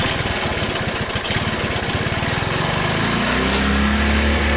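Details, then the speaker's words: 1983 Honda ATC185S three-wheeler, first start after sitting, no smoke seen: even, steady single-cylinder putter settling into idle with no bottom-end knock and good-sounding valves; normal idle before idle adjustment. "bad sound from the motor when you idle and down that low if there were bad sound you would you would hear it um in the bottom end valve sound good"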